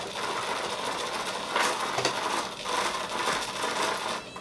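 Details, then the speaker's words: Naze flight controller set up for a HobbyKing Skipper XL plane, D gain at 23: servos buzz with fast, raspy chatter in uneven bursts from mere desk vibration; oscillation from excessive D gain, cured by setting D to zero. "I just moved the board a little see that shattering shattering like crazy and it's not supposed to do that"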